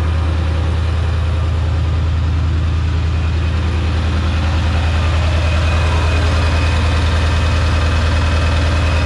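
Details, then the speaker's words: Diesel truck just after its first start following a Stage 1 build, on high idle to warm up before a drive: steady, deep, even clatter around 200 beats a minute with no misses or knocks. A healthy fast idle. "I'm gonna go ahead ahead and put it on high idle for a little bit before we go and take it on the drive."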